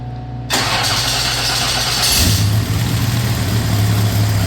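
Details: V8 car first start after installing a freshly rebuilt TH400 transmission with tighter gear ratios and filling fluid: quick start, then a deep even lope settling into steady idle, no clunks or slips; healthy.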